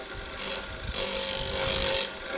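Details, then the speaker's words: Water grinder under test: bursts of rapid, bright rattling whirr from the gearbox while running, described as this model's usual gearbox sound, not a fault. "9800 thì nó tạo ra cái tiếng kêu rào rào rào rào rà rào trong hộp nhông nó như vậy"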